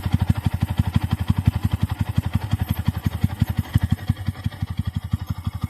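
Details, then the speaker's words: New Bajaj Pulsar NS125 at idle, checked after complaints of engine noise: even single-cylinder thump at roughly eight beats a second, steady and clean with no tapping or rattle; normal idle. "ये देखो इसका normal आवाज है।"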